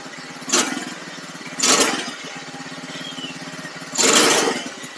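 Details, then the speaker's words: $300 buggy small engine, carb tuning with 110 jet and needle at very bottom, previously running lean: idles with uneven surges, revs jumping in brief bursts every second or two; jumpy surging idle, carb not yet settled. "so uh I don't know if you guys saw that but it looked like it kind of kind of a little jumpy maybe"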